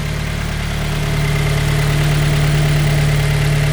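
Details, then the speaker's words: Subaru BRZ with a replacement used FA20 engine, stock header refitted, after oil priming; first start idles steady and smooth with a low hum, no ticks, misses or the crickets known for the FA20; sounds normal. "sounds clean i don't hear any crickets which are known for the fa20 motor sounds good baby"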